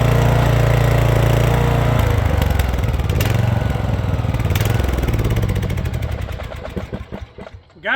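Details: Rear-engine Snapper mower, single-cylinder with new carburetor, stored over 10 years: steady idle chug turning a little uneven as it settles; owner thinks the carburetor needs a little adjusting.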